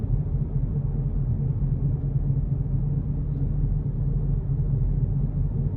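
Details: Car cruising: a steady low drone at constant pitch under the road rumble. It appeared after an anti-roll bar bush replacement; the owner questions whether it is not the wheel bearings. The cause is unconfirmed.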